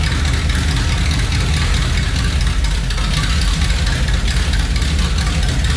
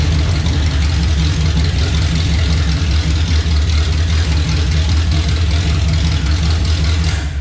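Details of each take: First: Chevelle V8 on newly fitted exhaust pipes with no mufflers yet: deep, loud, booming rumble, stupid loud with heavy drone and vibration inside the car and rough from starting; mufflers still to be fitted. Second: Chevelle with a 350 V8 on open headers before the turndown pipe sections are fitted: loud, deep, steady burble, lumpy but even firing, then shuts off; healthy idle, not super loud.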